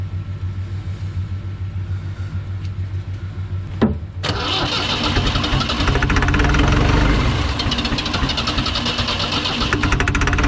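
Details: Ford 2701E 240 cu in four-cylinder diesel (IEL, model 242DF-6005ARS) on a grapple log loader, first start after sitting about 15 years, air bled from fuel system: cranks about four seconds, catches with a thump, settles into even diesel idle clatter.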